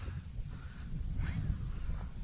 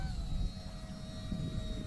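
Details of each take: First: FT Freedom Fox V2 RC plane, maiden flight in SAFE mode with an AR630 receiver, cool breezy morning, heard from the ground: a distant high electric motor whine rises and falls smoothly with throttle, with no cutting out. The motor is healthy. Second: FT Freedom Fox V2 RC plane on its second flight on a cool, breezy morning, its ESC later catching fire: steady high motor whine over wind, pitch sagging and uneven; failing ESC.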